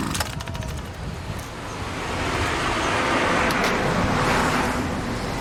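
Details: Homelite SX-135 (UT20601) two-stroke string trimmer: busy steady buzz building slightly and staying even without stumbling; running healthy, no carburetor leakage seen.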